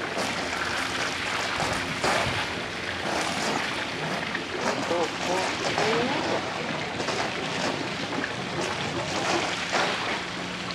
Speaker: Got a lot of air in the system to work out. But it will. Still gurgling there, so yeah, it's working.